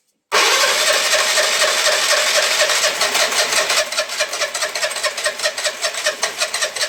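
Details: Piaggio Liberty 125 scooter after a starter electrical fix and a new spark plug, barely started with starter spray: it runs with an uneven, pulsing beat and no clean idle; weak, struggling engine, cause not yet found, carburetor cleaning next.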